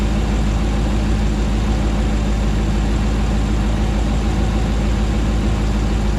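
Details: Rebuilt 2009 Hemi 1500 V8 warming after first start: deep, steady idle with even, unbroken burble, no hunting or misses; about 87 psi oil pressure, no longer jerking.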